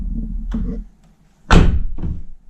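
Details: 2009 Nissan R35 GTR driver door after repair, something jammed behind the loose plate in the lock area: a couple of solid clean thunks with no buzz or rattle; door closes quietly and tight.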